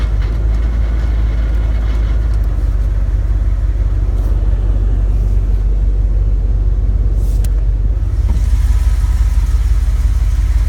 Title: 2001 dodge ram 1500 5.2l, 77k miles. Knocking noise